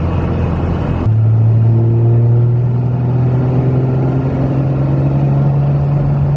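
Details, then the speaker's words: 2001 Cummins 5.9L 24-valve diesel after valve lash adjustment, in-cab on test drive: steady even drone rising gently as it pulls, no clatter; much quieter than before and running well; normal. "Yeah, she's a lot quieter than she was before I did that. And she seems to be running really well."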